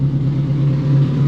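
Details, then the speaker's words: 686 bhp time-attack Toyota MR2, running after battery recharge: deep, steady low drone with constant tone, no knocks or misses; normal running. "so yeah it's ready for the track baby sounds sick yeah man"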